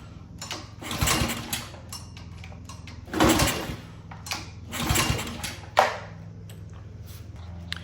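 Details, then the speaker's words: Honda GCV160/GCV190 pressure washer engine that had been sitting, with fresh fuel, fuel valve on and choked: repeated pull-start cranks that die away without firing; cranks but won't start, traced to a clogged carburetor jet. "So, it doesn't look like it's still starting."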